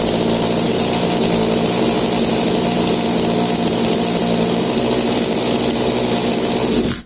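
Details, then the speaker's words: New Rovan 36cc double-ring two-stroke for a Baja 5B, on a stand with box exhaust, being run in: steady high buzzing note at even speed with no misses, starts easily, then cuts off cleanly; normal running. "Okay, easy peasy, starts very easy."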